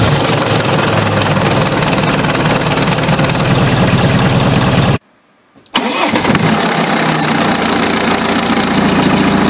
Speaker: Jeśli masz silnik na łańcuchu tak jak ten tutaj rano masz takie terkotanie